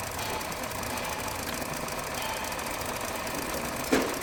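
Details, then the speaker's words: 2023 Hyundai Verna BS6 petrol automatic, overheating and hard to start in the morning: rough idle with fast, light tak-tak knocking inside the engine, suspected piston noise before teardown. "और दूसरी चीज engine के अंदर से एक sound आ रहा है टक टक वाला जो कि या तो पिस्टन का साउंड है या फिर किसी चीज का वो चेक करते हैं।"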